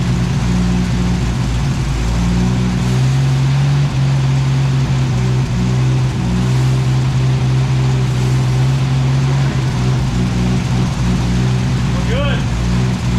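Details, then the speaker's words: 1964 carburetted beater: deep, steady idle with an even low drone, no stumbling or surging; now idles on its own, sounds much better. "all right that sounds much better much much better yep it idles on its own now"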